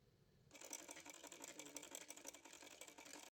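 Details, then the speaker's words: Home sewing machine after cleaning, oiling and servicing, stitching: quick, even, light mechanical clatter with no knocks or grinding; machine now runs smoothly and healthy. "सिलाई machine की आवाज देखिए कितनी ज्यादा smooth हो चुकी है"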